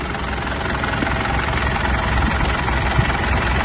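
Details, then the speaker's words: 2008 Mitsubishi Pajero Full 3.2 diesel after timing chain kit replacement: steady idle with smooth, even low rumble, no ticking or rattle; chain noise gone, engine quiet. "olha aí ó o barulho do motor barulho silencioso Olha aí pessoal Zerou Zerou"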